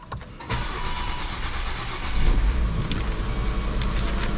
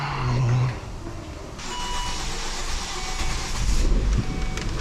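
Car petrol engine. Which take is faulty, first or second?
first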